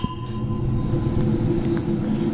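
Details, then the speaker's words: DIY propane tent heater built from a Toyo stove heat exchanger, burning blue during warm-up: a steady, deep, even roar with no sputter or pulsing; the burner is running clean and strong. "see the burner down there and it's blue and rocking so now i'm gonna put this on there"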